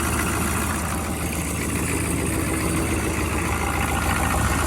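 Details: 6.5 turbo diesel truck in cold weather (about 29 degrees at the engine), fuel lines pre-warmed with a torch, idling right after start; steady low even clatter, no misses or knocks, a bit of smoke; normal cold idle.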